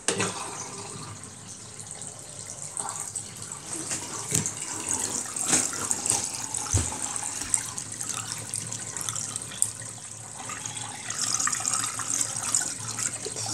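Steady rush and splash of water running out with occasional gurgles, no pump strain or grinding; the tub is draining normally.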